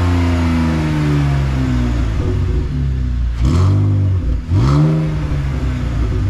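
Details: BMW E46 with a muffler delete: deep exhaust drone with two sharp revs and a thin whistle riding over the rise and fall. The whistle's source is unclear.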